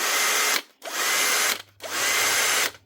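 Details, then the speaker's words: Bosch GSB 18V-21 cordless drill, worn motor replaced with a new motor with brushes fitted; sparking from the fresh brushes is normal. Three short trigger pulls, each a clean, steady high whirr spinning up and stopping evenly: healthy. "So what most suits him is to replace the motor. So it's a new motor. Brushes already in it."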